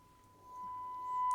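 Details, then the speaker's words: Siemens Super G7 radio FM IF alignment, 10.7 MHz modulated test signal: clean steady tone about one kilohertz from the speaker without hum; IF chain and detector passing signal normally. "I've got the signal coming in. It's got a tone on and I can hear it."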